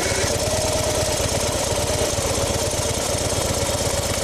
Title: 2010 Harley Davidson FXD Superglide primary grinding noise